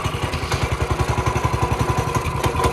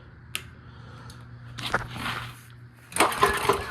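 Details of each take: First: Small single-cylinder engine, long parked and with the oil unchecked, revived with just fuel and starter fluid: steady, even popping at roughly eleven beats a second. Normal idle. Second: CT200U minibike on a stand, just after the Stage 1 kit install with a new cone filter: a few sputtering pulls, then an uneven popping beat instead of a steady idle, with heavy smoke and possible backfiring. Rough running, cause suspected.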